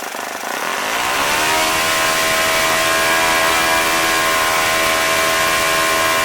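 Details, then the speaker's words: OS FS-40 Surpass four-stroke glow engine after bearing replacement, Enya No. 3 plug, 11x6 prop at full throttle: quick climb to a high steady buzz holding even without surging or dropping out. Normal full-throttle running. "but I mean it was turning his 11 6 crop in a pretty respectable 95 94 hundred rpm which is pretty darn good I think for this engine"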